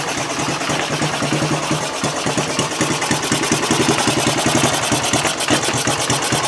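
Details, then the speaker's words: 1974 Honda TL125 trials bike after fresh gas, carb cleaning, cleaned points and set ignition timing: quick, even single-cylinder putter at idle with crisp regular firing, no skips or pops; runs much better. "okay here we are fresh gas in it an ignition tune up with cleaning the points setting the timing cleaning the carb better all right much better"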